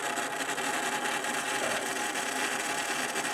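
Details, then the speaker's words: 3 V hobby DC motor run at 5 V through a ULN2003 driver on Arduino PWM, duty cycle being increased: a light whirring hiss with a thin steady whine, no grinding; normal motor run under PWM control. "We'll increase the duty cycle. You can hear the motor going as we do that."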